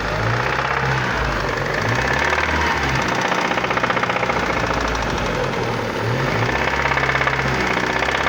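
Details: Chevrolet Vectra Challenge engine running steady with a sharp, fast metallic tapping throughout, not changing with speed; engine knocking noise of unknown internal origin.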